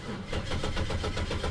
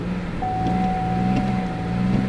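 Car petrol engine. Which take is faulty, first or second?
first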